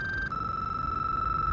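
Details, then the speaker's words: Insta360 Ace Pro action camera that froze mid-recording and will not record: a steady high-pitched tone that jumps slightly in pitch, then holds constant. It is abnormal, and the noise stopped once the camera was powered off and on again. "It's not letting me press record and it's just making this weird noise."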